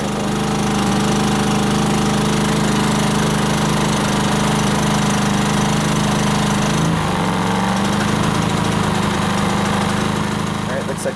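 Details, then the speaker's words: Briggs & Stratton P2200 generator running a dehumidifier, with the heater switched from low to high and LED lights flickering: the drone labours, sags and cuts out about seven seconds in. It was overloaded past its output limit and stalled. "found the limit on this guy I'm going to fire it back up again and uh run a lower load on it"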